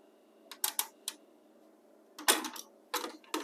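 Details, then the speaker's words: Pioneer CT-W801R dual cassette deck, deck 1, tapes not turning, belts suspected; motor hums and mechanical clicks and clatters sound as the mechanism tries to reverse, then it snaps back to stop. Cassette mechanism returns to stop. "Sound like the motor's running, so that's a good sign. We're not playing at all. In fact, it tries to reverse and then it goes back to stop."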